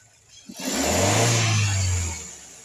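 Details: Suzuki Ciaz engine revved briefly from idle, climbing quickly and settling back with a faint clatter on the rise; cause can't be pinned down.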